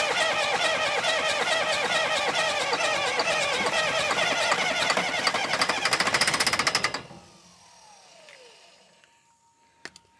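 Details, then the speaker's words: Diesel sawmill wheel loader sat 20 years: fast, even starter chugging about four per second with no firing, then stops; they think no fuel is getting through. "All right. I don't think we're getting any fuel. Man, it sounds like it wants to, don't it?"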